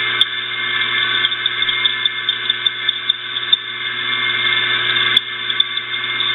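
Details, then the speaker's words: Electric motor with noisy bearing, after oiling through the front and rear oil ports (turns easier): steady high-pitched whine with rough uneven ticking; noise from front and rear bearings, still worn. "yeah a lot of that noise sounds like it's coming from the bearing and the bearing in the rear"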